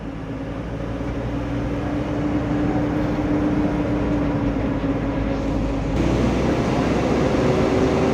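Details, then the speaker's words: Mitsubishi Fuso Canter Euro 4 SHDX truck on a test drive, nearly 3 km in: steady diesel drone rising smoothly with road speed, no droning hum or power loss; driving normally. "nah ini mobilnya sudah jalan kira-kira 3,6 ya hampir 3 km belum saya temui kendaraan ini bengur dan tenaganya hilang Masih normal ini teman-teman"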